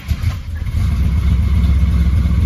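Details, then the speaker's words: 1967 Dodge Charger rebuilt 383 big block with aluminum heads, after correcting distributor position three teeth off and adding ignition timing: loud deep V8 rumble holding steady revs, no backfire or popping; runs properly, mild tuning issues remain. "I guess it's big money definitely needed more timing maybe not that much more it actually sounds good now other than the mild tuning issues"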